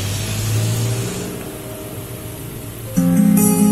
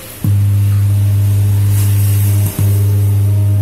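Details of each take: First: JDL powered speaker after replacing a heat-damaged TDA2030 amplifier IC that caused hum: guitar music from an MP3 player now plays clearly with no mains hum. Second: JDL active speaker with hum fault: loud steady low mains hum, briefly dropping out once, from a failed TDA2030 power amplifier IC, which is then replaced.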